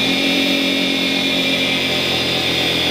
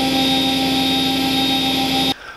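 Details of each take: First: Charnwood W824P midi lathe on its fastest belt with the speed switch at maximum, which should hold about 4000 rpm. The high motor whine sags slower and slower. A faulty speed control module had been dropping speed to about 300 rpm, and the module was then replaced. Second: Charnwood W824P midi wood lathe after control module replacement (old module let speed fall to about 300 rpm then die): steady high motor whine at max speed setting, slight fluctuation but holding revs; normal running at full speed.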